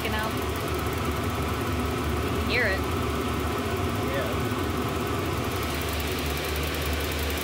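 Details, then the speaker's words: Shop heater built from three 5 kW Chinese diesel heaters on temporary setup: after lighting on the third attempt, a steady, even combustion rumble with no misfiring, popping or surging; burning smoothly. "i just saw that one spit out something one on the bar and spit out something [Music] third time was a charm for this one"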